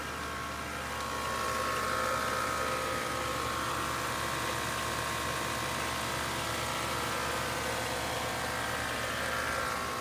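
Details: 2013 BMW X5 idling evenly with a thin steady upper-midrange buzz that holds pitch, heard under the hood when the A/C or heat blower runs; source unclear.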